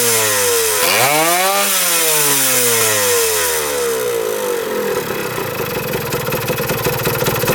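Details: 1977 Kawasaki KE100 two-stroke enduro, won't run without choke: revs up, falls away, runs rough and uneven, won't hold idle; air screw turned in, owner suspects gas cap not venting.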